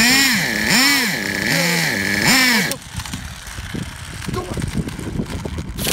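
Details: Traxxas Revo 3.3 nitro RC truck engine, retuned: shrill buzz climbs and falls through several quick throttle blips, then cuts out; revs cleanly, healthy. Engine good; truck needs new transmission, spur gear missing teeth, starter motor and one-way bearing.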